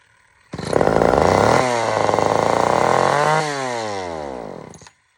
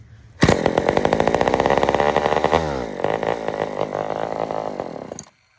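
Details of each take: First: Old Sears Explorer II chainsaw, good compression, previously fired and died: revs up unevenly, holds a ragged high note, then sags and dies; not normal, carburetor mixture screws need proper adjustment, muffler falling off. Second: Old Sears Explorer II chainsaw after carburetor cleaning; it previously fired and died: it starts at once and holds a steady buzzing two-stroke note, dips briefly, then runs cleanly until shut off, normal running.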